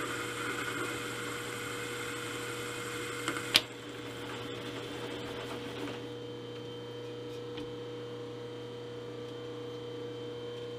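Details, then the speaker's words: 3-inch R8-shank rough boring head with indexable bar, repaired after arriving with major faults, taking a 40-thou-deep cut over multiple passes: steady motor hum and smooth, even cutting with no chatter. The boring cut is normal. "that seem to be cutting well so I've made uh multiple passes down below"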